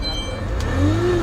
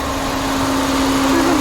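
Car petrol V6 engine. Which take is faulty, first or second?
first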